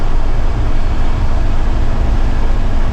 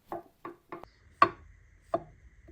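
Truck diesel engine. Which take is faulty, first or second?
first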